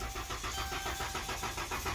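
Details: 2011–2013 Dodge Caravan-type van, battery at 2.4 V and jumped, starter already replaced: the engine spins evenly at four or five pulses a second but never fires; the TIPM fuel pump relay isn't powering the pump.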